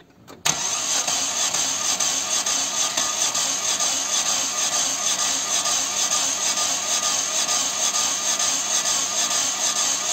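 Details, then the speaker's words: Chevy (Corsa) 1.6 no-start with broken timing belt: fast, light cranking spinning too freely, compression on only one cylinder whose valves stayed closed, never catches. "por el sonido que hace el motor me puedo dar cuenta que solo se está generando compresión en un cilindro en el cilindro del cual se han quedado las válvulas cerradas"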